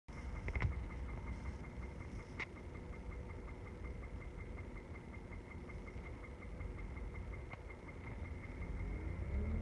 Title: 2006 Hyundai Sonata knocking/ticking sound. What is it?